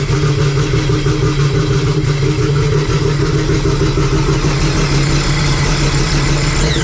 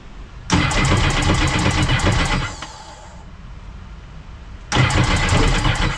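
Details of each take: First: Sea-Doo RXP-X race jetski with a freshly built engine for a Pro Spec class build; a steady, even low drone with no knocks or misses. It runs cleanly, slightly smoky from oil in the fresh motor, with no leaks. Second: SeaDoo RXPX race jetski during a Pro Spec build: fuel pressure present but two bursts of fast, even whirring cranking never catch. Old E85 fuel wouldn't start it; the owner plans to use 93 pump gas. Crank no start, cause unconfirmed.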